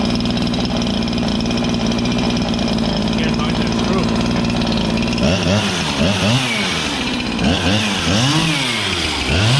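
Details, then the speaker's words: Husqvarna 365 chainsaw after a new piston and cylinder, revved at full throttle with no load: breaks into a burbling, uneven four-stroke at the top. Rich, safe mixture with plenty of fuel in the top end, not lean. "so what I mean about four stroking is when you're revving it at full Full Throttle there no load it should here that's that's it hitting fuel in the top end it's got a lot of fuel which is good"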